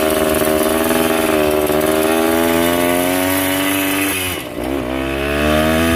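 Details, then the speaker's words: Yamaha 125 enduro two-stroke after fresh spark plug and fresh gas (earlier suspected oil fouling): crisp high-pitched ring-ding climbs with revs, dips briefly off throttle and picks back up cleanly; normal responsive running. "Amazing what a little fresh gas and fresh spark plug can do. Ain't nothing sounds like a two-stroke neither."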